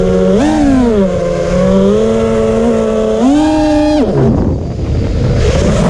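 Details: Drone motors make a loud, rough buzzing whine in flight that swoops up and down with the throttle; cause not yet found.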